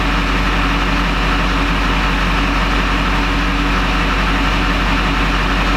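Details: 20-year-old Duramax diesel pickup with recent new injectors, after an earlier start-and-die, glow plug code now cleared, fuel pressure bouncing 5600–5800 psi (owner unsure if in spec); deep even idle, no misses, knocks or surging; normal idle.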